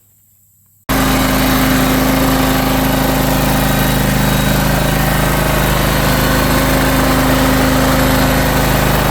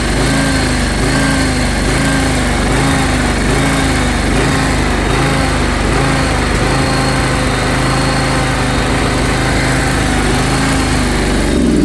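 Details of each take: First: John Deere X540 riding mower after 20 years of neglect, after carburetor cleaning and rebuild with new parts: the engine catches and holds a steady, even idle. Before, it was hard to start, needed full choke and hunted up and down. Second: John Deere X540 mower after 20 years of neglect, needed full choke to start: idle rises and falls in slow regular cycle, hunting up and down.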